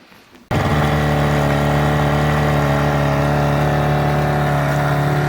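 Steady, even two-stroke buzz at a constant speed with no knocks or misses; the outboard is running cleanly and healthy.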